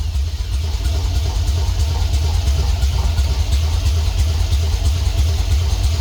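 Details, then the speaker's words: 1964 GMC truck: deep uneven chugging at about three beats a second, trying to catch and stumbling; IAC goes to 100%, air-fuel ratio goes lean (about 20–21 AFR) or rich and it stalls. "the iak goes to 100% and then uh the air fuel ratio goes lean and it conks out or uh rich and conks out"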